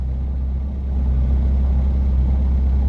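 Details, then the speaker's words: Reliant Robin three-wheeler, back from the garage: low, even idle with no misses, surges or knocks, much smoother than before the repair. "on the plus side the car idles much better than before you listen to it now"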